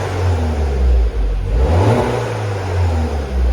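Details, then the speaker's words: 2010 Mini John Cooper Works, 44,000 miles, not chipped, middle silencer deleted, sport mode on: blips up and back down cleanly with a deep, throaty exhaust note, no rattles or misfires; healthy, throaty but not overly noisy. "Now, as you can probably hear, we've got quite a raughty exhaust. We've got the middle silencer delete on this car, so it's actually quite throaty on tick over."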